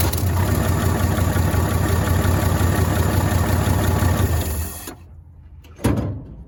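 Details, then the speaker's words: 1965 Chevrolet C10 short bed inline six, sitting since 1994, first run on original plugs, cap, coil and wires: steady, even low rumble with smooth regular firing, no misses or knocks, then shut off; normal idle. "Would you look at that? Actually runs damn good."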